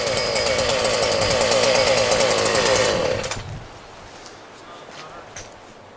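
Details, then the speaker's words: Husqvarna 40 chainsaw after a cleaning, which cured its bogging on throttle; Walbro carburetor kept. Screams at high revs with a steady even crackle, clean and strong, then cuts off; normal revving. "turns out that that was the problem so I started this thing up and actually runs better than it ever has before"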